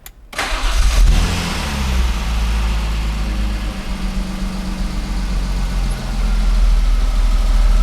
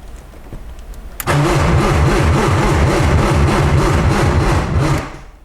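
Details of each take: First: 1995 BMW E36 M3 revived after sitting two years, first start-up: cranks, fires quickly and settles into a steady, deep idle with no knocks or misses; clean, healthy start. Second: 1995 BMW E36 M3 after long sitting, on jumper cables: starter spins steadily about three and a half beats a second for four seconds, never catches, no fuel pump heard running; crank no start.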